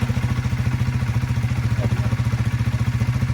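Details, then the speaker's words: Honda CBR125 motorcycle, just after oil, spark plug and air filter service, with a flat battery and a charging fault: cold idle with a steady, even low thump around three and a half beats a second, no knocks or rattles. Normal cold idle. "so service complete we've got it back on the uh on the truck cuz we know the battery is flat but we'll just start it up make sure everything's good after the we've done the service"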